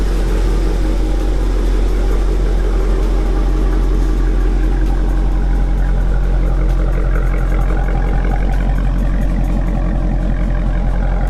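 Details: 2019 Dodge Challenger V8 with newly installed Corsa axle-back exhaust: deep, heavy, even and steady rumble, louder aftermarket exhaust note; normal healthy running.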